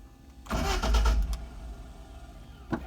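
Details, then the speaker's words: Mercedes 190SL cold start, ice-cold exhaust header, unstarted for several days; electric fuel pump primed, choke pulled, in neutral, a couple pedal pumps. Short crank, then fires promptly and settles into a steady idle: nice starting car. "That is a nice starting and running car."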